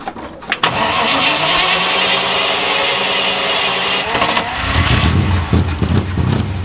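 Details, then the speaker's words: Austin-Healey Frogeye Sprite with a 3.5L Rover V8 and rebuilt Holley 390cfm carburettor, timing at about 7–8°. Engine catches, stumbles and dips low at startup, then settles. The squeak before it was traced to the carburettor mounting gasket, an old compressed gasket to be replaced. "Got a bit of a stumble at the beginning. Took me in low and then it took me out."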